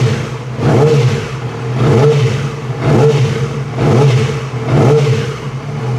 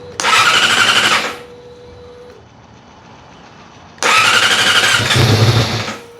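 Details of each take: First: 2006 Yamaha R6 inline-four after sticky-throttle repair. Crisp blips about once a second, revs rising and falling cleanly; normal revving, and the throttle feels much better. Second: 2006 Yamaha R6 on the first start after sticky-throttle repair, with throttle body work and the throttle position reset. Two short bursts of fast cranking and it never fires. Fuel probably just needed to reach the line.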